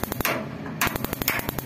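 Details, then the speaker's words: Instant gas-electric geyser burner, checked with the sensor on the hot-water pipe: rapid, regular sharp ticks, about eight a second, from the spark igniter while the gas coil opens the valve; the ignition is working properly. "आप अभी check कर सकते हो, ये आवाज आई अभी, एक गाड़ी टिक टिक की आ रही है, एक टिक की आती है"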